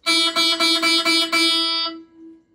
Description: See under the microscope what causes a guitar string to sound like a string on a sitar. In this case, we had to repair the string slot on the guitar nut.